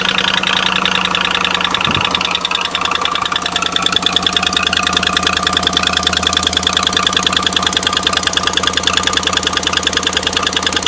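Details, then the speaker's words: Bought-used 2016 Chevy Silverado, cold start idle. Sharp, even, crisp ticking about three per second that goes away once warm. Exhaust manifold leak from broken studs on the passenger side, toward the back, to be replaced. "it started doing this infamous cold start ticking noise after all the research that i've done it definitely seems like it's the exhaust manifold studs on the passenger side have broken"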